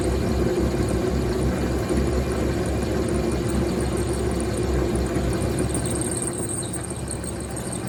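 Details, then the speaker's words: Vevor MX400 mini lathe parting cut with a new, sharper but thick blade: steady rough buzzing chatter with a low hum under it through the cut; owner suspects the thick blade causes the chatter. "Again, that could be the thick cutting blade that I have causing that chattering."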